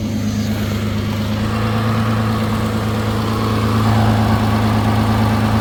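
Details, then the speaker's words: 2016 Nissan Maxima idling after DIY welding repair of rusted exhaust sections; steady, even idle with a smooth deep note and no puffing, ticking or hissing, exhaust sounds sealed and quiet. "And I did fix up the weld up here, too. I mentioned that earlier. All welded up. At least now you can drive around. Peace quiet."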